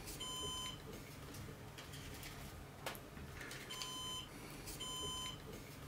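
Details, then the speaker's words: Synology NAS with a 3 TB drive pulled from its bay during a swap to an 8 TB drive: three high, steady electronic alarm beeps over quiet room hum. The beeping continues until a new drive is installed. "In the background you can hear the beeping of the NAS system. The NAS system doesn't like that I removed a hard disk, that's why it is beeping."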